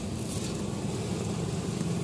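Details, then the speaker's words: Nissan MR18 engine after fixing misfire by replacing an injector and addressing contaminated fuel: steady, even low idle hum with steady RPM, no stumbles or dips; normal idle. "Steady na yung RPM niya, so okay na to."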